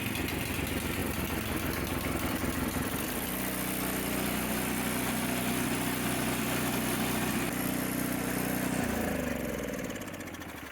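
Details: Briggs & Stratton 205 cc single-cylinder snowblower engine, bought as a parts machine, runs with a steady, even putter and constant beat, no knocks or misses; engine runs fine though the snowblower won't drive forward.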